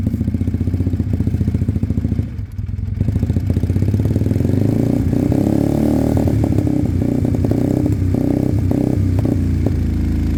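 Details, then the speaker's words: Sinnis Cruisestar with a new aftermarket exhaust, cold idle on choke that picks up: a sharp puffing tick on every firing pulse, as the pipe is loose and not sealed at the head despite shims. "it's uh it's loose on the pipe uh a little bit of gum gum would sort that out maybe some gum gum wrap"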